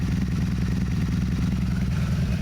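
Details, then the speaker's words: 1984 Honda Interceptor VF500F V4 after rebuild and valve lash adjustment, small water pump drip: even, steady low exhaust pulses, almost zero valve noise, no knocking; normal idle. "And there's barely any to almost zero valve noise at all. So shout out to that valve lash adjustment. That worked perfect. I'm so stoked on how smooth this bike is running right now."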